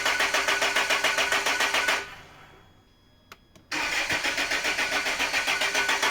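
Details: Land Rover after torque converter/crank seal replacement and fluid refill, won't start: even starter cranking about 3.5 beats a second, pause, more cranking that never catches.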